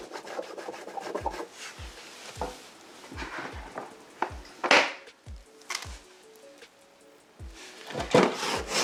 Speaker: It's like sanding the car.